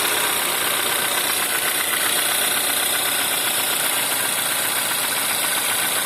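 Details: Volkswagen 1.4 TSI (CAVD) engine on a cold start: sharp, fairly regular light knocking, about four per second, over the cold idle. Cold-start engine knock.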